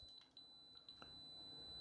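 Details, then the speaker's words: OGS-50W cheap QRP amplifier that keeps shutting off the power supply, multimeter in beeper mode across the power leads at the XT60 input: steady unbroken high-pitched beep; short circuit across power input, cause unknown. "there is a short across the power so we were happy there for a hot minute and then we weren't happy there for a hot minute and I'm not sure why"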